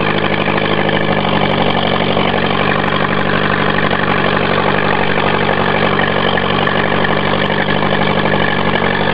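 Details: Honda Prelude morning start after sitting a couple of months. It runs very loud and rough with an uneven, unsteady pulse of about four beats a second.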